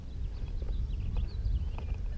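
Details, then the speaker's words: Metal detector (Legend) at a park beach picks up an area signal from heavy mineralized black sand: faint, irregular high chirps warble over low wind rumble, a false signal, not a target. "Hear the chirping of the black sand."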